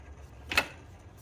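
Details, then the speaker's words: 2006-and-up Honda Civic 2.0-litre, belt off, pulley spun by hand: two short dry rasping bursts from a worn tensioner pulley bearing, needing replacement; alternator and idler quiet, AC pump also noisy. "is loud. It's one of those things that you need to change that that tensioner pulley, the smooth one."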